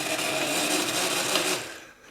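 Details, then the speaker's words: Miele Revolution PowerPlus 5000 vacuum cord rewind: harsh, rattling whir for about a second and a half ending in a clack; rewind works but sounds horrific, owner hopes it is fixable. "It works, but it sounds horrific, so I'm hoping that's fettleable."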